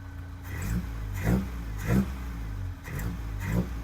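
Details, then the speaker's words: 1984 Toyota Hilux 4x4 with carburettor, after new plugs and fuel filter, not yet warmed up: quick clean throttle blips about once a second, no popping or stumble. It smells strongly of fuel and slightly of burning, but the throttle response is normal. "that's quite responsive little [Music] stabs maybe it just needs to warm up"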